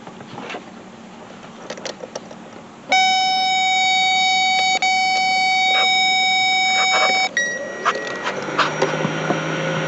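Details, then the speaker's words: 2001 Lincoln Town Car with the blower motor powered directly through a test probe: steady whirring hum runs evenly for about four seconds, so the blower is good. The blower resistor or relay is suspected instead. "there you go you can hear the fan going there you go so the fan is good right there"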